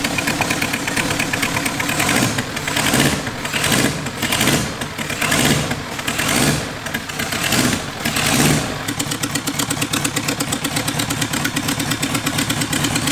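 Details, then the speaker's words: 525cc four-cylinder supercharged wheelbarrow engine after head work and CVT change: crisp, even firing with sharp rasping exhaust swelling and dropping on repeated revs, then settling; running healthy. "You can hear like the individual fire better now. Yeah. Sounds awesome, man."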